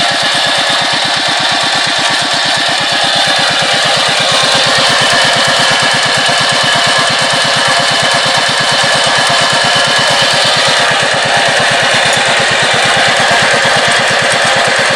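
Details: ER40 single-cylinder diesel engine that hunted up and down and was hard to start, after nozzle tip spray corrected and injector refitted: loud fast even chugging holding a steady beat; idle now stable and healthy.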